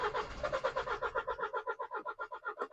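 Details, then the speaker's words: MINI Countryman destined for scrap, off the road for months, first start attempt with lights and battery power present. Steady rhythmic cranking at about six pulses a second never catches. The engine turns over and is not seized, but it does not start. "Well, it gave a little noise. A little noise. cuz it wanted to wanted to go. But the good news is it is turning over. So an unsuccessful start."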